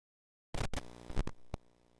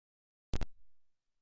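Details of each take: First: Nintendo Switch headphone jack cabled into a GoXLR mixer's line-in: crackles and thumps as the cable goes in, then a low steady buzz/hum from a ground loop, possibly via the mic or PC-powered USB cable. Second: Nintendo Switch headphone output into a GoXLR mixer line input through a cheap ground loop isolator: a silent line broken only by a double connector pop, the horrendous hiss and hum completely gone.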